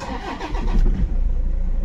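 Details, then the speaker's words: Toyota Innova after alternator pulley replacement and belt refit: engine cranks briefly and fires, settling into a smooth low idle with the earlier grinding pulley noise gone, no squeal or rattle; normal start after repair. "Start किया मैंने और देखेंगे बाहर यहां मैंने engine start रखा है और हमारी गाड़ी एकदम साइलेंट हो गई है पहले जो आवाज आ रहा था आवाज नहीं आ रहा है"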